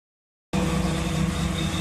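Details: 1986 Jeep CJ7 with a swapped 1993 Chevy 5.7 V8 converted back to TBI, after fuel-system work on earlier over-fueling: it starts straight into a smooth, steady idle with an even low drone and no stumble.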